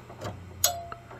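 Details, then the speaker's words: Furnace not heating: on the 24V control circuit, one sharp relay click and a fainter second click, with no draft inducer motor spinning up. The inducer works when jumped to 120V; the fault is likely one of three control board relays. "hear that click right there that is most [Music] likely one of these three relays I'm going to tell you that that's likely your problem"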